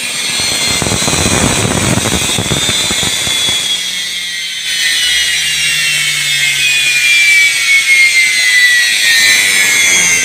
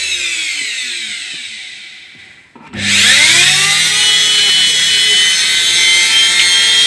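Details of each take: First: Indesit washing machine motor bench-tested on mains with brushes wired directly, heater cold: spins up with a high whirring rush and rough hiss, smooth but noisy; slightly noisy bearings. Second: Indesit washing machine motor after lubrication and reassembly, on test: spins up from rest to a steady high whine with rising pitch, then holds smooth and even; healthy run.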